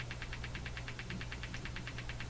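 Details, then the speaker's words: Hammarlund HQ-180 receiver audio oscillating (motorboating) at about eight pulses per second over low mains hum. Switching the noise limiter on makes the noise disappear, suggesting the limiting action is involved. "huh noise limiter goes on noise disappears"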